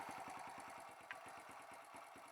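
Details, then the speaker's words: Kawasaki KLX140 big-bored to 170cc, first start after a top-end rebuild: the starter churns about eight pulses a second without catching after the engine died. Owner suspects the higher compression makes starting harder, and possibly a lean idle. "it just died it seems like the starter is having a harder hard time the bike started"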